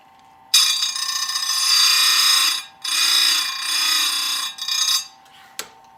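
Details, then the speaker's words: Old SDM4 square grinder sharpening full chisel saw chain, set to about 5° side plate forward and 15° top plate angles. High, steady whine in three short passes, each cutting in and out cleanly with a light touch. Normal sharpening. "So that's what I mean by, that's kind of my grinding speed. The only thing I would comment on is it's a very light touch, really round file on the saw, right?"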